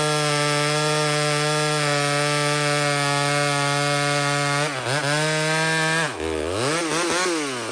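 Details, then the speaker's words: Small Homelite two-stroke chainsaw cutting maple: a high, clean steady scream that bogs down and recovers twice as the chain bites. Strong, healthy cutting. "but what we're actually gonna do is we're gonna watch this little home like rip through maple"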